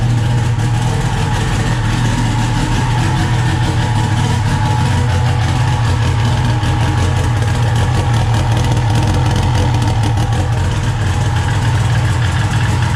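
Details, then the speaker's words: SRT-4 turbo four after a 420A head conversion, first start (hard to start without throttle) and running good: smooth, steady idle with an even low drone, no misses or knocks. "so there it is running good to go so hopefully we'll be at the tracker pretty soon"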